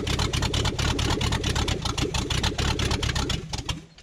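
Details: 1969 Buick Riviera 430 big block, first start after sitting, running uncorked with no exhaust manifolds: loud, sharp, uneven cracking pops about twice a second that die away at shutdown; transmission fluid then spewed and oil seeped at the rocker shaft.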